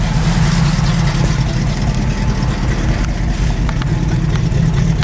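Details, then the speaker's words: Carbureted engine, still cold and not run for a while, started after a vacuum line was reconnected: steady, even low rumble with no knocks or misses; normal cold idle. "No, that sounds sweet, eh?"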